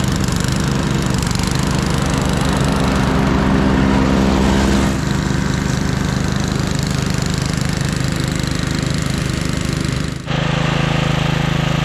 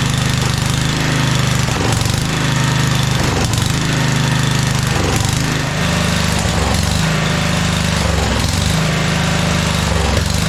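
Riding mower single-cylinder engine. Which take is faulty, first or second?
second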